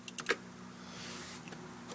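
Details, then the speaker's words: 2005 Corvette C6 automatic, engine off, after shifter assembly replaced for stuck-in-park fault: two sharp light clicks about 1.6 s apart as shift lock solenoid energizes in accessory and shifter then moves freely; normal interlock click. "accessories push ever so slightly forward on the shifter hear the click grab a hold of the shifter now the shifter moves so once it energizes now it moves freely without any problem"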